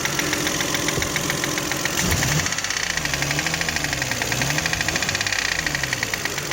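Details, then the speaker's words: Toyota 1MZ-FE V6 at idle, knock appeared at first start after spark plugs, injector seals and throttle body cleaning; faint regular tapping under the idle, seemingly from the left; camera found no cylinder damage, cause unclear. "Зараза такая. Ну, вот так когда тихо, кажется, слева где-то."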